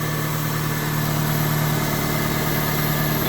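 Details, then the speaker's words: Alternator repair job, engine restarted with battery reconnected: petrol engine idles smoothly and evenly, alternator now charging per multimeter; faint airy hiss is an expected vacuum leak from a deliberately disconnected line. Normal idle. "we are charging. Nice. Everything sounds normal. I don't hear anything, crazy."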